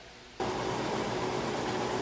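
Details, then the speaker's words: About 3-year-old Amana top-load washer, lid switch bypassed, large load on warm/cold regular, final high spin at full speed: smooth, even rushing whoosh with no thumping, shaking or wobble. Normal, balanced high-speed spin. "Alright, so it's running full blast now. As you can see, it sounds great, and it's not shaky, wobbly, or anything like that."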